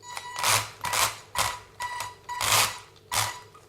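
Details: WLToys 144001 RC car with wheels blocked: short raspy, gritty whir bursts about every half second as the motor spins up; a wheel sticks when turned; grinding suspected in front or rear drivetrain gears, cause unconfirmed.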